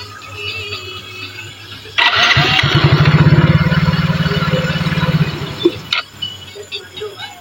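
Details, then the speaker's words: Yamaha Mio J/Soul GT scooter, hard to start and stalling when throttled: runs steady and revs cleanly only while gas is sprayed into the air-filter inlet, then dies once the spray is removed, with fuel pump pressure normal; points to a clogged fuel injector. "Ini motor sudah berbunyi dan normal Mas ini ya ketika sayaembusin gas Ini motor normal ya lalu ini coba tak blayar-bayer juga enak ini Mas ya Nah tetapi ketika gas ini saya jauhkan motor mati ya"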